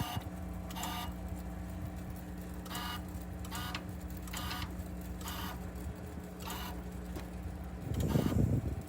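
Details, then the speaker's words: 2020 Rock-Ola Vinyl Bubbler jukebox, mech out of cabinet, amplifier unplugged, stepped a little at a time after mech index adjustment: steady motor hum with evenly spaced light clicks, then short clatter as it settles; indexing correct. "So when that picks it up and puts it back, it's supposed to land it right in the center of this slot right here."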